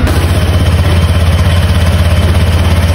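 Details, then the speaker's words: Honda Click scooter started cold after sitting unused, owner warms it 5–10 minutes daily: even low putter about three beats per second, no belt-drive rattle or scrape; quiet, healthy cold-start idle. "as you can see mga k pirata pinaandar natin is Gulat ako kasi hindi siya maingay Akala ko maingay eh kasi araw nating hindi napaandar expected ko talaga na maingay pero hindi ' ba"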